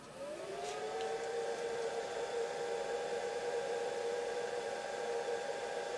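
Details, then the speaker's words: Myford Super 7 lathe inverter drive in a new external control box, powering up: faint whine climbs briefly then settles to a steady even note; normal power-up, ready to run. "so let's go ahead and give her some power shall we there we go it takes a second for the inverter to realize it's powered and come on"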